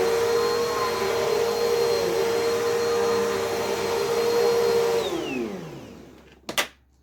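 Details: Never-used Bissell CleanView with 8 amp motor, fingertip power switch, genuine Bissell belt: steady fairly quiet run with clear high whine, then falls away on spin-down; whinier than the other CleanView, belt not stretched, healthy motor.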